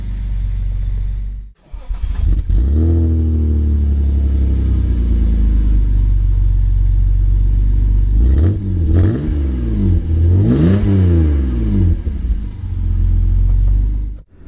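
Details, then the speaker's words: Vauxhall Senator CD 3.0 24V straight-six, parked for months for cutting out and running poorly, water apparently dripping from somewhere; after fixing it, catches after brief crank and revs cleanly twice without cutting out; very smooth, quiet; normal running. "tell you what how smooth there's anything this is lovely i'm not gonna run around the house in this stead just in case but you can't even hear the engine"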